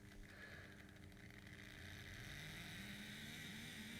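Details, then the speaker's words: Bachmann 44T switcher model diesel locomotive with DCC, fresh from box: thin, uneven motor whine and buzz, struggling and cutting out, running slightly better but still rough; owner suspects it sat in its box, cause unconfirmed. "but yeah I mean it's it's running somewhat better now but it certainly doesn't sound good at all"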